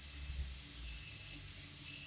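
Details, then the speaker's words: Cornerstone 45W RV running auto-level: the leveling jacks lower partway, then the air suspension dumps air. There is a soft, steady, high hiss of venting air in gentle waves with no other noise, a normal air-suspension dump. "shortly you're going to hear it let the air out because once the jacks are part way down it's going to let the air out of the system just like that"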